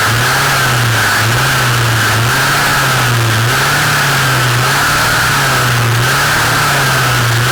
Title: Dolmar MS 4510 Shaft View (LOUD NOISE)